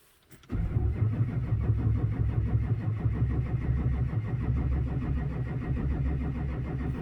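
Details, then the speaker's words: 2004 Chevrolet Silverado 2500HD 6.6 Duramax, towed in cranks-no-start, no codes: steady starter cranking, engine spins but never catches, no tailpipe smoke, no fuel rail pressure despite repeated bleeding; air in fuel, later traced to suction line leak. "no smoke at the tailpipe well when for whatever reason we're not getting uh we're not getting fuel pressure try bleeding it again"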